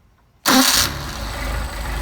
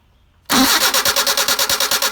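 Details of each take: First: Rebuilt Solex carburetors with new throttle shafts but no machine work, hot start: the engine fires right away with a short flare, then settles to a smooth, steady idle without stumbling. Normal hot start. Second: Car with rebuilt Solex carburetors (new throttle shafts, no machine work), hot restart attempt: steady, strong starter cranking at about three beats a second that never catches. The ignition was left off; crank, no start.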